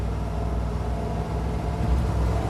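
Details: 1972 International 1210 V8 after intake gasket vacuum leak fixed: prolonged uphill pull at constant quarter throttle, deep steady sound, no stumbling or surging, pulling strong and clean; normal under load.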